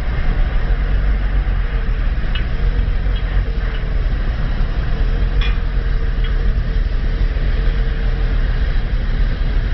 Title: bad idle3